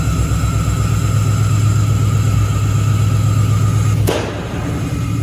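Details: Engine-swapped Camaro with a 6.0 V8 at its first start after the swap, with the tune still being sorted: an uneven, lumpy low rumble, then one sharp bang about four seconds in. Misfire from a miswired ignition coil harness.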